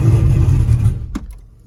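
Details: 2002 Pontiac Trans Am WS6, fresh-build iron-block 6.9L LS with VSR 78mm turbo, Holley Terminator X, allegedly zero miles, first start: catches and runs lumpy with uneven deep beat, then dies after a second; rough running.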